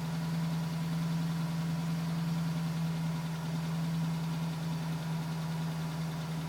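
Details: 2010 GMC Sierra with 2000 miles, cold start idle: light, quick tap about three per second, not fading yet, still at 4 minutes, stopping at 5 minutes 42 seconds when warm; owner suspects piston slap, unconfirmed.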